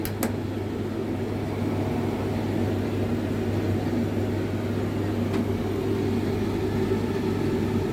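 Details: Hotpoint TL51 tumble dryer on a test run, clockwise tumble, high heat: steady low hum with even airy rush, no knocks or scraping; runs smoothly and sounds healthy.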